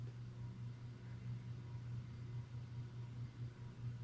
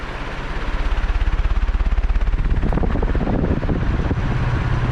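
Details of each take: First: 56-inch EnviroFan 160F extra heavy duty industrial ceiling fan on speed 4 of a 4-speed wall control: quiet, steady low hum with only faint blade wind noise; running smoothly and healthy. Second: 56-inch EnviroFan 160F extra heavy duty industrial ceiling fan on a 4-speed wall control: fast, even thumping in time with the blades over a low whoosh, unusual for this fan; cause unknown.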